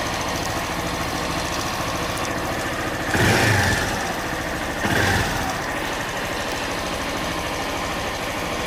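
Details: Honda Bros 160 idling with a fast, uneven ticking knock under the exhaust beat that persists through two short blips; it has been to warranty 4 times and the noise persists, cause unclear.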